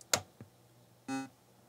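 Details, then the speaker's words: Apple IIgs ROM 03 first power-up after inspection, audio through external speakers rather than the internal speaker: a couple of switch clicks, then one short clean mid-pitched beep of about a fifth of a second; normal power-on chime. "why don't we power this up see if we hear the good old beep"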